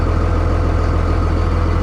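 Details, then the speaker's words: 57,000-original-mile Dodge Ram 3500 diesel pickup at a salvage auction yard, marked non-runner on the windshield but running: a deep, steady idle with an even low throb, no misses or knocks; healthy normal idle. "That means it doesn't run, guys. Surprise, surprise. She runs."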